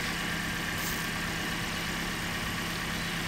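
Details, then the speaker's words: Car engine at idle with the ignition coil deliberately disconnected during a vacuum test, about 15 inches of vacuum before; rough, uneven low beat from a dead cylinder, a simulated misfire. "so we could simulate a problem who can disconnect the coil ignition coil disconnected"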